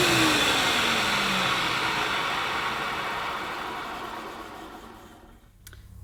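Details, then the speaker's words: 1990s UK-made Hoover U2090 Turbopower 2 upright vacuum, 650–700 W (max 800–900 W): steady motor whir with airy rush, dropping as the agitator brush is held by hand yet keeps turning strongly; normal running, belt still to be replaced. "that's not bad at all really pretty good so possibly it needs to be on a higher setting"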